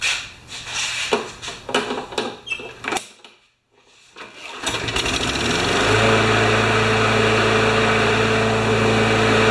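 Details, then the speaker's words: Craftsman mower after tune-up with sharpened blade, clean spark plug and checked good gas, started to warm the oil before an oil change: pull-start, engine catches and settles into a steady, even high-pitched drone; normal running. "the gas is good i checked the quality of the gas it's perfect and i'll just start it up and let it run for a bit"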